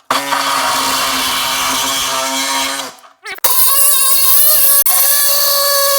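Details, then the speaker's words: Reciprocating saw cutting thin sheet metal during rust repair on a Mercedes R107: a harsh buzzing rattle with ringing metallic tones. The panel vibrates and chatters against the blade, hampering the cut. "That's what happens when the metal vibrates up and down. It starts to impact your ability to well reciprocate."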